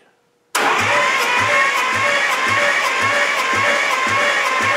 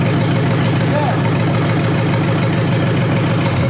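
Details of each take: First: 1953 Hemi V8 cranking on the starter, valve covers off, during a compression test on cylinder number one: even chugs about two per second, no firing; reading hardly any compression, owner suspects rings stuck in pistons. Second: 1953 Hemi V8 revived engine with deep, even idle rumble and fine rapid ticking from the old mechanical fuel pump; oil pressure confirmed, running steadily and healthy.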